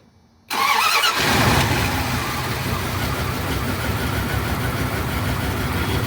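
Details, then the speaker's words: Dodge Ram/Dakota gas V8 after crank-no-start fixed by replacing distributor cap: brief crank, catches and settles into steady even idle, no misfire or stumble; normal start. "all right up and running very good all right truck is up and running right now so the Steep the distributor was the problem"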